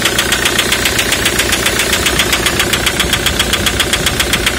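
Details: 2003 Ford Mondeo 3 2.0 TDCi (FMBA) diesel at idle: sharp even metallic ticking, nearly four a second; Delphi common-rail injector knock (EJDR00301Z) from faulty multiplier/return control valve.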